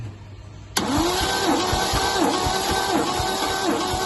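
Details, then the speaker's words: MGC 3.0 straight six garaged about 33 years, compression test cranking: steady starter pace with a whirring rise and fall on each compression stroke; healthy compression, about 150 across the board, around 140 on number 1. "See, all 150 across the board. Well, 140 or something, I think, on number 1."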